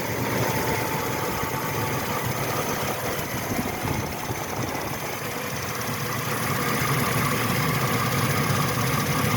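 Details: 1998 Chevy C1500 5.0L V8, 102,000 miles, idling: light quick ticking about three per second over a calm idle, seeming to come from the rotor area; source not confirmed.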